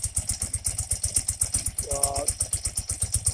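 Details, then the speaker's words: 1984 BMW R80RT airhead twin after cleaning fine rust from the Bing carb float bowls, which had a leaking float needle that flooded the engine. Air-fuel screws out a quarter turn, idle raised. Even, steady idle with no misses, better balanced, and no smoke. "For right now, pop the idle up slightly, and sure sounds like it's balanced better."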